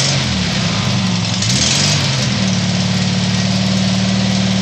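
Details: Tiger-1's engine started after rebuild: steady even idle with deep low hum and no knocks, misses or surges; normal idle.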